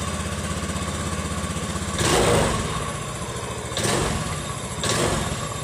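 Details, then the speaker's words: Honda Beat FI injected scooter that previously would not run, brought back to life after checks of 12 V supply and ECU. Steady low drone with brief throttle swells; runs, but the droning remains, cause unclear. "Tapi bunyinya masih dengung. Mau kan dia hidup. Padahal sebelumnya ini mati sih."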